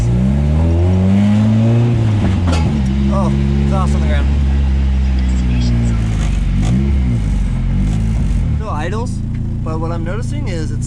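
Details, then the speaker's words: Nissan S13 drift car at end of track day: revs climb then stumble and cut out under load, struggling to make boost, idling lean afterward; cause unknown, plugs and compression to be checked. "and then that last clip if you hear it was just missing it sounds like you're cutting out really badly it was struggling to make boost"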